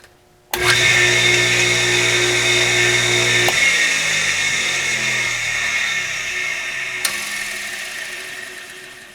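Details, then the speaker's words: Home-built air compressor from spare parts, first no-load run of its electric motor after fresh 30-weight oil; even hum and bright whirr, steady, then clean coast-down; works fine but was spinning the wrong direction for the compressor fan. "well that appears to work perfectly well it was spinning the wrong direction because of course you want the fan on the compressor to blow that way"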